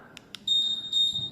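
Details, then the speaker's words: Honda ADV scooter smart key remote whose ignition knob is stuck: two faint clicks then steady high-pitched beep about a second on pressing answer-back, showing remote battery is fine; normal answer-back beep. "Karena saya pencet answer back dia nyala Tuh reting"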